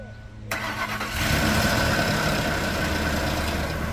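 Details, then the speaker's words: 2003 Ford Expedition 5.4L Triton started after a heater valve replacement, radiator hose refit, flush and 50-50 green coolant fill: quick crank, clean catch, then a smooth, steady idle with no knocks, misses or hunting; it sounds healthy. "That sounds real healthy."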